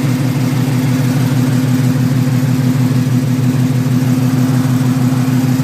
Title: Exhaust leak